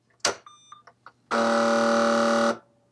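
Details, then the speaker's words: AN/UGC-74B military communications terminal whose dot-matrix printer won't print, fault likely electrical: a few soft mechanical clicks, then a steady buzzing alarm tone of just over a second; cause undetermined. "The alarm goes off again. Oh, it did a line feed there. Yeah, I'm not exactly sure what's going on, but uh definitely a problem."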